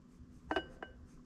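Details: Circa-1973 cast-iron differential hub, welded with Ni 99, machined, with new bearings, to run 80-90 weight oil. Gears rocked back and forth give three light metallic clinks; small, even free play, backlash set to about 0.010 without a manual.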